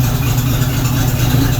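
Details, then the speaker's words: 1976 AMC Gremlin, revived after 36 years in storage, first run on fresh pump gas with Seafoam added: steady, even low rumble at idle with no ticking, knocking or stumble, quieter than before; normal healthy idle. "This thing runs way too well. It sounds quieter now, actually. I realize I'm not shouting as loud."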